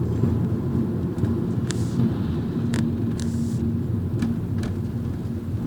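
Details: 2011 Mazda 3 2.0 sedan driving over speed bumps: road rumble with sharp snaps and creaks, heard only sometimes; service technicians could not find the source.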